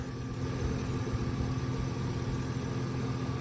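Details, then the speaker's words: Flood-damaged Chevrolet Trailblazer with about 70k miles, coolant slightly low, possible brief misfire and piston slap on cold start: even, low idle rumble with no ticking, knocking or stumbling; idle sounds steady and healthy. "actually the engine doesn't sound too bad might have had a little misfire its initial start but"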